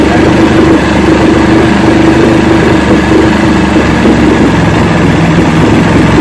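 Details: 1970 Evinrude 85hp two-stroke outboard, hydro-electric shift, about 50 years old, new water pump impeller, run in a water container after shift tests: low even unbroken idle burble, no misses or knocks; carburetors judged good at idle, full throttle untested.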